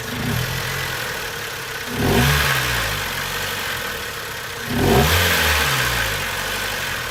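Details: Mazda Protegé5 at idle: uneven, lumpy idle with a wavering low beat, broken by two short throttle blips; rough-running engine.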